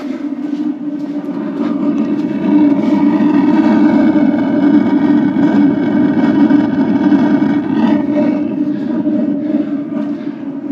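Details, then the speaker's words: Dometic WH-6GEA RV gas/electric water heater after replacing the fusible link (part 93866). Pressing the gas button, the burner fires right up into a steady, even roar with no popping or sputtering. Normal gas burner operation. "and i believe it sounds like it fired right up with the new fusible link installed"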